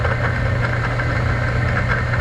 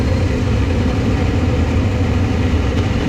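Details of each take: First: Laars Pennant commercial hydronic boiler circulator pump, water not moving and temperature reaching 200°F: a steady low motor hum with a rough grinding rattle; the motor spins freely, and the coupling between motor and pump is suspected loose. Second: Laars Pennant two-stage commercial hydronic boiler with a no-heat complaint: combustion blower starts after a few seconds with a steady, even low drone, no rubbing, rattling or surging; draws a normal 3.9–4 A at startup.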